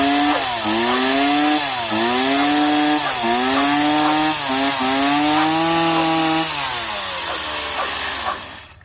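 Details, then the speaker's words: Stihl MS170 chainsaw after carburetor replacement, run without air filter on half choke: revving up and down cleanly, pitch climbing and falling smoothly with throttle before shutting off; runs well. "Runs real good."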